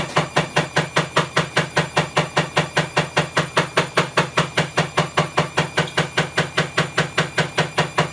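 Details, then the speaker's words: Bosch WAE24366 washing machine, which trips the circuit breaker, spinning up well below full speed with a loud, very even clicking knock about 2.5 per second: broken drum spider. "if you hear that clicking that's the broken spider it's pretty loud there's nowhere near full speed yet"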